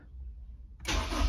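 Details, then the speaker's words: Supercharged Honda S2000 AP1 with Walbro 255 pump and RC 750 injectors, after fuel system install: starter cranks, engine never catches, no pump priming heard; pump not running because the fuel pump top-hat plug was left disconnected. "[Music] I don't even hear the pump priming [Music] well I'm an idiot I forgot to pull again the little plug that goes into the top of the fuel top hat"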